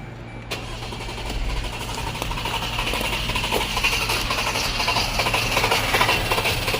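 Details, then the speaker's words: 2011 Jeep Grand Cherokee 3.6L with a used engine and harness fitted, codes P0202, P2303, P2311 and P2314. The starter spins the engine steadily but it never fires. A bad engine ground was found on this crank-no-start, not yet confirmed as the cause. "So we got a bad ground down here going to the motor? I just saw this. That's not good."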